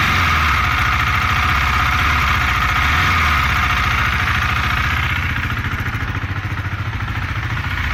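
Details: 2018 KTM Duke 390, 8,500 km: light metallic ticking about three or four per second over the single's idle and revving, noticed for 4 months, clearest on deceleration; source not pinned down.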